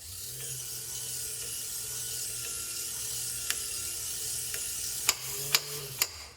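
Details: Power antenna motor from 1965-66 Thunderbird / 1961-64 Cadillac, bench-run during reassembly: steady hum, then sharp even clicks about half a second apart as the clutch slips at full travel so the antenna isn't overpulled; normal.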